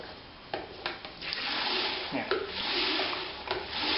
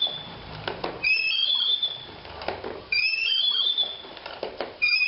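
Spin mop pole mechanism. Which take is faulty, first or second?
second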